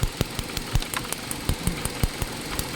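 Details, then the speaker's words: 2018 Hyundai Accent 1.4 with idle surging up and down and stalling: lumpy idle with sharp uneven pops about five per second; ignition coils misfiring, with sparking seen at the coil side; three of four coils faulty. "ilal an puro misfire to misfire yung coil dapat ang kuryente dito lang ang nangyayari sa gilid na oh"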